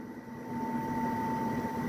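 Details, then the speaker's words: Indoor air conditioner unit giving a steady thin squeal over the soft fan rush; the owner suspects dust clogging the evaporator coil fins, unwashed for just over two years, and plans to clean the unit. "ผมก็เลยสันนิษฐานว่าอาจจะเกิดจากคอยเย็นเนี่ยคือคอยคอยแอร์ข้างในนะฮะมันจะมีเหมือนกับเป็นครีบๆเนี่ยแล้วนี่ผมไม่ไม่ได้ล้างประมาณ2ปีนิดๆแล้วนะฮะอาจจะทำให้ครีบเนี่ยครีบระบายความร้อนเนี่ยมันมันมีฝุ่นตันนะทำให้เวลาพัดลมมันดูดลมเข้ามามันอาจจะมีเสียงนะ"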